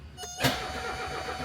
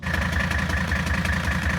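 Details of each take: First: 1978 Mercedes 300CD with a swapped-in 1984 OM617 turbo diesel and a new injection pump without a primer pump: the starter cranks with a steady whirring drone but it never catches; air in the fuel system. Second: 1978 Mercedes 300CD with swapped-in 1984 OM617 turbo inline-five diesel, upgraded turbo and injection pump, first run: steady idle, even regular clatter and constant beat; sounds healthy, fine-tuning still needed.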